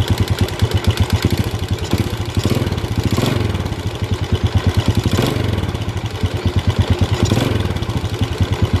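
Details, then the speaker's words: Yamaha Vega ZR (Vega RR) small single-cylinder motorcycle idling with throttle blips: rough, rapid clattery beat rising and falling with revs; mechanic suspects worn cam chain rattle, to be confirmed by opening the timing cover; cam chain replacement. "analisa saya menurut saya sih kemungkinan ini disebabkan oleh rantai kamrat ini saya akan coba dulu langsung ya"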